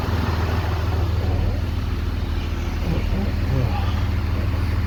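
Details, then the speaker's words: 2013 Ram 3500 6.7L Cummins idling after fan clutch replacement; low, even diesel idle rumble with a steady beat and no loud fan roar; now idling normally. "Now remember, it already sounds better at idle, and look at what we got now."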